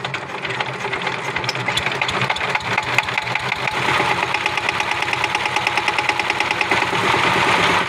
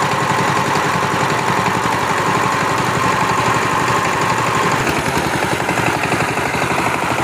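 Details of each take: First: Power tiller diesel engine at no load: a sharp, rapid metallic "tes tes" tapping rides over the engine, which would not take any load; caused by a faulty injector nozzle, fixed by replacing the nozzle. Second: Power tiller diesel engine after injector nozzle replacement (previously made a tapping noise and would not take load): even, regular thump at steady idle, no misfire or hard knock; normal idle.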